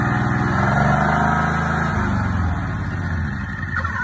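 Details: Big-block EZGO golf cart, first start after fitting a budget 780 Comet clutch and belt in place of the failed CVT Tech clutch: the single-cylinder engine settles into an even, steady idle with a regular low thump and no knocks or rattles; normal idle.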